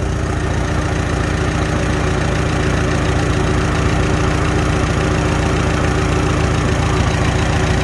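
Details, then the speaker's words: Farmall H tractor after carburetor adjustment, back to idle at about 450 rpm on non-ethanol gas: slow, steady, smooth idle with no pinging or tinging; engine healthy. "just sounds great no ting ting ting none of that nonsense"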